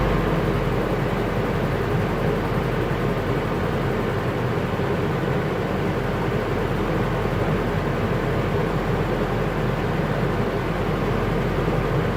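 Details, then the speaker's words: 1986 Isuzu Trooper with a used junkyard engine (known only to run), running with an even, steady rumble and no knocking, ticking or misfire; normal running, engine sounds healthy. "This is a running, driving truck that sounds really good, despite the fact that I bought a used motor out of a junkyard in Cumming, Georgia, without really knowing anything about it other than it ran."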